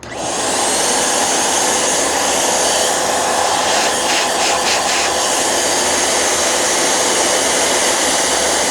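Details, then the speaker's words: Vacuum whose only known problem is a missing rug plate: steady even high motor whine and rushing air, no knocking or grinding; no issue found, normal running. "Okay, this doesn't seem to have an issue whatsoever."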